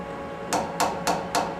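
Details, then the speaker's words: Lathe 1-inch boring bar knock test at 4:1 overhang: five sharp taps ringing with bright, fairly high pitch, sign of excessive stick-out that will chatter (3:1 recommended). "basically chatter is not your friend on basically every Machining operation that you do"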